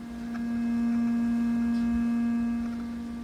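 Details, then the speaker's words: 1968 Sears Silvertone console stereo: a steady, pure test tone with no buzz after another capacitor is connected in, sounding much better; 60-cycle hum is still seen under power, so the set needs a recap. "yeah. Sounds a lot better."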